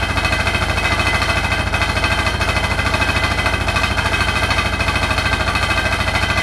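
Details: Hotpoint NSWR843C washing machine on final 1200rpm spin: a hard rattle hammering about three times a second, very even, over the high whirr; the cause of the loud rattle is unknown.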